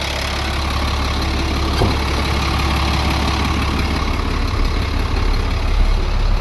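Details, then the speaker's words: International 4400 DT466 diesel after replacing a chunked O-ring with a used one to cure surging idle: firm, even idle with no dips or surging, making good air pressure; O-ring may have been the only problem. "We'll let it run a while. That may have taken care of it. So far so good. It hasn't dipped."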